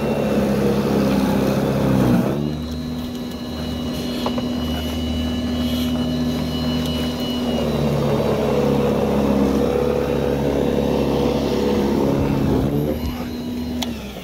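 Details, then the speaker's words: Ryobi battery snow blower on a fully charged battery, after tie-wrapping wires away from the metal pole: steady electric motor hum with the auger churning powdery snow, holding speed without bogging or cutting out; static-caused stalling fixed. "this is a powdered snow about the same consistency as the last time when i was getting the static shock and uh the machine's not stopping"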